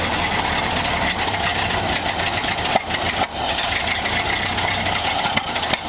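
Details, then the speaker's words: 1931 Ford Model A four-cylinder, fuel tank sludged from storage: steady, fairly even idle with some handling bumps, after the air-bound fuel line from the bowl to the carburettor was bled; warmed up and running normally. "got it pretty warmed up it's ID good sounds like"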